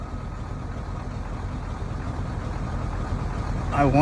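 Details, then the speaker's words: 7.3L Powerstroke diesel in a 1994.5–97 Ford OBS truck with 300k+ miles, on first start at 62°F after IPR valve replacement: uneven, loping rumble as if a cylinder isn't firing; owner suspects a clogged injector, and it soon cleans up. "I bet we had a clog uh injector not cylinder cuz now it sounds way better sounds like a clean running diesel"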